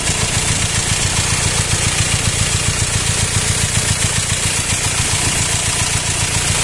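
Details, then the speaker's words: Four-cylinder engine swapped in for the original six, rough and loud since being removed and refitted. Uneven pulsing idle with an airy hissing rush; owner suspects air in the hoses despite new hoses, cause unknown. "فالسياره بعد ما فكينا المحرك ولحمار مره ثانيه صوتها صار خشن وعالي عالي كمان"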